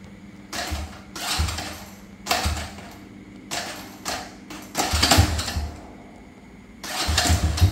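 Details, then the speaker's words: Honda Dream motorbike: each press of the electric starter gives a short, harsh metallic rattle and the starter won't engage the engine. The starter one-way clutch is slipping. "Every time I press the button, it makes a rattling sound like that."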